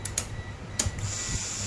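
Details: Honda Forza 350 scooter with a no-start fault, after the fuel pump was repaired rather than replaced as a unit: a steady low electric hum with a thin high whine as the fuel pump runs normally again.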